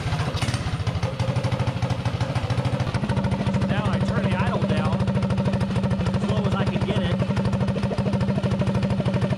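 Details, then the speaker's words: Predator 224-powered GTS mini bike with a PWK carburetor (38 pilot, 115 main jet): as the air screw is slowly backed out, a steady single-cylinder idle steps up to a faster beat. Idle rising during mixture adjustment. "soing nice and slow and I back the air screw out till the idle picks up so you can hear it picking up so it's pretty much iding the fastest right there"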